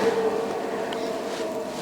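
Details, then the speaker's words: Vevor 8 kW diesel heater in frigid (about −43 feel) weather: steady jet-like rushing air roar with faint mid-pitched tone, no knocking or rattles; normal blower noise during startup stage. "when it runs and it starts up it literally sounds like a jet like this thing just blows air like crazy"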